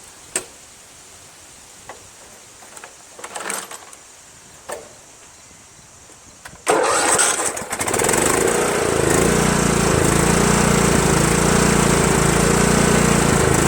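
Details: Craftsman LT1000 lawn tractor that had been surging, suspected fuel delivery through old hoses, now on a makeside straight fuel line from tank to carburetor: quick start settling into a steady, even run without hunting; surge gone, likely fuel problem.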